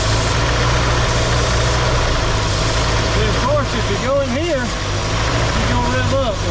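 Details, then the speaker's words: 1967 Ford Galaxie 500 with carburetor problems and suspected vacuum leak or leaking old carburetor: idle runs steady then sags and stumbles, nearly stalling; cause not pinned down. "Here, she about dies down."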